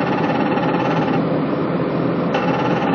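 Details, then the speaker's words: Patrol RG 140 running with a steady buzzy metallic rattle from the hydraulic oil reservoir drain vibrating; at first the hydraulic pump was suspected, fixed by wedging a small shim. "Olha o barulho estranho na RG 140, o que é? O dreno do reservatório de óleo 68."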